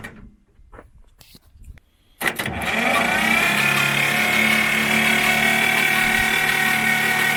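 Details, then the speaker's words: Belarus 250AS tractor, two-cylinder air-cooled high-compression diesel, good battery: laboring starter whine turns the engine over at only about four pulses a second, slow even with the decompressor pulled. "So you just saw on how it won't crank over very well, and it doesn't even crank well with the decompression. And with decompression pulled, it should spin right along because there is no problem."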